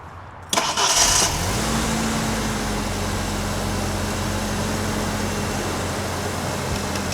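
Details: 1993 Ford Ranger back from Burning Man, previously stalling when hood shut, started while relay shaken: short crank, catches quickly and settles into steady even idle with no stumbling or cutting out.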